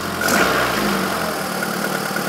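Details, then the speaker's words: Renault Twingo D7F petrol engine at idle, just after clearing catalyst and lambda sensor fault codes, hood open: ragged, uneven idle; owner suspects an ignition problem on one cylinder, before replacing plugs, leads and coil; rough idle. "Pas terrible, mais ça tourne, quoi. Là, a priori, il y a un problème d'allumage sur le cylindre, là."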